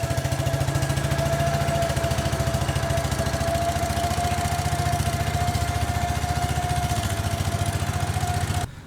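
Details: Case 222 lawn and garden tractor, sat for years, revived: small engine thumps evenly about three and a half beats a second, steady under throttle, running cleanly with no misses.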